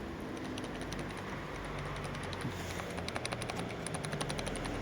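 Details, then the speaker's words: Hyundai Santa Fe 2.2, removed driveshaft's original factory center support bearing turned by hand: dry, irregular crackling clicks; worn bearing caused loud airplane-like cabin drone when driving, louder at highway speed; replaced with new bearing. "это гудит как самолет кардан крутится И когда вы ускоряется на трассе просто в салоне как будто мы на взлет пошли"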